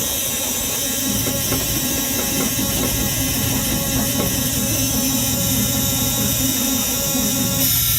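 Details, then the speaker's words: 1966 Chevy C60 semi truck, sat for decades, with new points, fed by a Milwaukee pump through a filter to the carburetor from a pressurized tank, choke out, jumper cables, no ether: steady starter churn that never fires. "she don't want to go if you don't want to go I'm gonna put a little more air pressure in my fuel tank here push fuel a little harder see what we can do with that"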